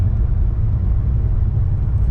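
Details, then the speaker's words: 2008 Pontiac G8 GT, cam only, with CTS-V injectors, an E85 flex sensor kit and a new tune: deep, steady roar at wide open throttle, pulled to 6500 rpm with no pinging. Great acceleration; O2 readings stayed in the low 900s. "as you can see we had great acceleration 6500 we pulled it to um o2 stayed in the low 900s almost the entire"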